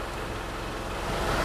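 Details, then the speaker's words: Isuzu Panther LV diesel at standstill idle: steady low clatter with heavy even shake felt in steering wheel and gear lever, vibration gone when driving; normal rough idle, nothing wrong. "Ini kondisi mesin menyala, setir bergetar. Ketika tidak berjalan, setirnya bergetar."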